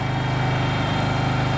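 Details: Kohler engine in a Terramite T5 mini loader, which previously would not stay running, after fuel pump replacement: quick, even thumping at steady idle, no misses or stumbles; running smoothly.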